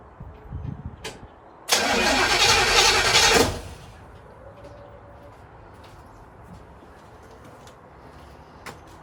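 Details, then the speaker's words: 1936 Chevy coupe with a slow-start problem, HEI distributor unplugged so it cannot fire: about two seconds of steady, even cranking with no grinding, clicking or slowing; the starter sounds healthy. "That sounded okay, didn't it?"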